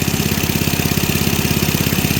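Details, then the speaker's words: Snowblower engine with rocker cover off, started by hand after intermittent loss of compression: quick, even valve-train tapping over steady idle, rocker arm visibly dancing; valve clearance far too loose, nuts to be checked before adjusting; excessive valve clearance. "that's way too loose I think what I'll do before I put the cover back on CU I'll check the nuts to make sure they're tight"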